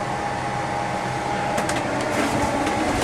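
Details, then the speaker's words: Escape trailer furnace: after switching it off, the blower keeps running about 45 seconds once the flames die, giving a steady airy fan rush with a faint mid tone and no burner roar. This is normal run-on purging heat and exhaust before it shuts off. "Or at any point, you can reach up here, switch it off, and you'll notice that the fan keeps running even after the flames died. And it's going to run for about an additional 45 seconds."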